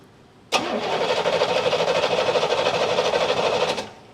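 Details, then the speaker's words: 1988 Chevrolet Monte Carlo SS, sitting over 20 years: the starter turns the engine over evenly at about three beats a second for three seconds with no firing. A spark tester grounded straight to the battery shows no spark; the coil is to be checked next. "No spark. Go figure. All right. We're going to try it again. I'm grounded straight to the battery this time. No spark."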